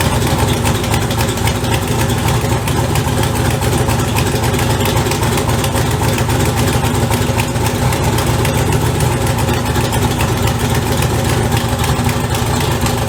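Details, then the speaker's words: LS turbo build at first start, idling on a heavily welded custom exhaust: a steady low idle with a faint uneven puffing chuff; five leaks found along the welded pipe. "I found I think there was one two three that there was five it was five leaks on this whole pipe which is meant because that's a lot of freaking welding"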